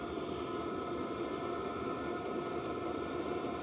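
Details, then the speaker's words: 8kW 12V all-in-one diesel air heater with 5L tank, turned up to a high setting: steady fan rush with the fuel pump ticking faster to feed more fuel. The heater runs normally with output near 300 degrees. "You'll hear the pump kicking a little bit more, some more fuel. And the fans will speed up some."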